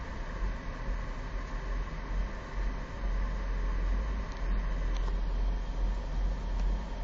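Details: 2004 Kia Sedona with 76,000 miles, intermittent stalling, no codes, occurring cold or hot, mostly in Drive or Reverse: a low, uneven idle pulsing about twice a second. Low fuel pressure is suspected, but the cause is unknown.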